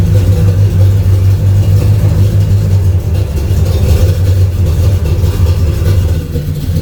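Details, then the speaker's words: Chevrolet Camaro V8 after the exhaust was dropped and modified to remove drone: deep, even rumble under light revs, smooth with no booming drone; much quieter than before. "Oh, it's way quieter. Yeah, it is. Yeah, it's way quieter. Yeah. Oh, it's so much quieter. It's perfect."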